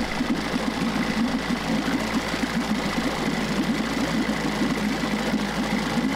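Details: Steady, even two-stroke putter at idle, no knocks or misses: 1994 Johnson 6hp outboard with thermostat removed, pumping good water, idling well and shifting into reverse and forward.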